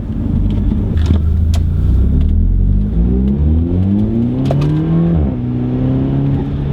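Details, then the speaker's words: Audi A3 2.0TFSI with CTS turbo intake, after finding the diverter valve soaked in oil (possibly faulty PCV); under acceleration a faint tone climbs with revs and drops at the shift, still present but quieter; turbo whine under acceleration. "turbos pulling good now I can still hear it though I can still hear the noise that's so weird he still making the noise but it's not as loud"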